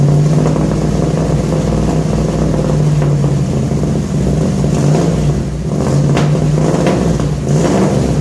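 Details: 1966 Ford F100 shop truck V8 with new headers and newly built exhaust, first start after install: deep, even burble swelling cleanly on throttle blips and settling smoothly; exhaust sounds good, no leaks; normal exhaust note. Still on points ignition, tuning next.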